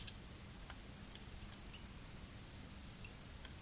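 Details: Toshiba V5470B Betamax video recorder under repair: faint, slightly irregular light ticks, about two a second, over quiet room hiss while the reed switch is tested with a magnet; the mechanism is ticking, cause unclear.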